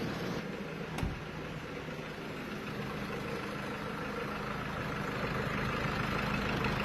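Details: 2016 Jeep Wrangler Rubicon after fixing a no-crank no-start with lost PCM/ECM communication, no parts replaced: even, steady idle hum with low smooth pulse, no knocks or misses; engine running normally.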